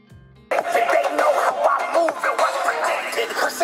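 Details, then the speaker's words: Harman Kardon Onyx Studio 4 that wouldn't power on, repaired burnt input step-down circuit, playing on its own battery: clear music at steady volume, full and undistorted, no crackle or dropouts; working normally. "Nah oke, nyala. Sekarang akan saya coba suaranya juga pakai baterai bawaannya ya, aslinya ya."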